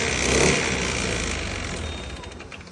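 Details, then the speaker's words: Honda ADV 160 scooter with 1,019 km: harsh clattering rattle from the engine as it winds down; mechanic suspects a seized piston but will disassemble to confirm. "Tá parecendo, galera, barulho de pistão fundido, mas como a moto tem 1000 km, a gente vai ter que desmontar para ter o diagnóstico exato."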